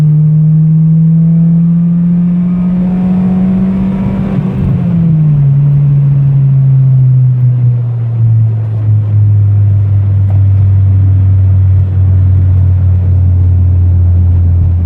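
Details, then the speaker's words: Car with OBD1 B18B1 engine after injector rebuild, valve adjustment, PCV fix and ground repairs: clean full-throttle pull, note climbs smoothly, drops at the upshift near five seconds, then pulls evenly with no stumble or misfire. "Alright, you guys, the car is fixed. I've been driving it for the past few days. I've taken it on multiple half-hour to an hour-long trips. Not a single misfire, and I'm going to go ahead and do a pull to show you."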